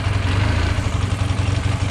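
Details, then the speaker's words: 1978 Honda CB400A Hondamatic, throttle stutter fixed by swapping to spare rebuilt VB24 carbs (original right carb idle/air jet damaged): steady, even low idle, smooth regular pulse, no misses or knocks; normal idle. "So here's what it sounds like when you start it up, when you rev it up. That's definitely what it's supposed to sound like."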